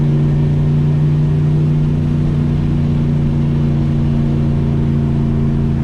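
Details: Turbo Chevy C10 V8 after head resurfacing and valve job and clearing fuel injectors whose top screens were plugged with tank dirt, which had caused a misfire and fouled plugs; smooth, even idle and clean revs with no miss or stumble; running healthy.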